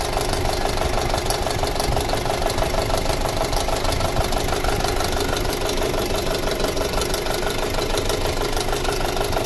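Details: 2006 Audi A4 2.0T with codes P0300 and P0303, pulse sensor on the intake; steady idle with an uneven, stumbling beat about three times a second under the hum; single-cylinder misfire at idle, suspected cylinder 3.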